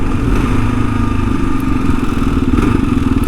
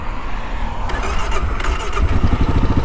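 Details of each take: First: 2022 Kawasaki KLR 650 single-cylinder riding on a rough track: light buzzing rattle over the engine vibration, owner guesses a loose plastic panel; rattle while riding. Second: 2022 Kawasaki KLR 650 fuel-injected single: short crank, catches right away and settles into steady even thump; normal start.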